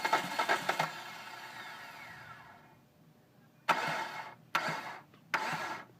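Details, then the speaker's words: 2005 Hyundai Sonata 2.4L DOHC, timing belt replaced after bent exhaust valves: three short cranking bursts a second apart, each dying without catching; hard starting, cause unknown, with carbon-fouled new plugs and gas smell in oil. "anyways obviously you guys can see that it will start because we just had it running but this is the steps that we usually have to take to get it to start"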